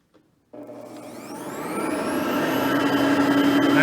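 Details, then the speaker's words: Hoover Platinum Collection bagged upright vacuum switched on: motor spins up with a rising whine, then settles into a steady even roar; quiet direct-air vacuum running normally. "and as you can hear both are pretty quiet vacuums for being that there are both direct air based vacuums"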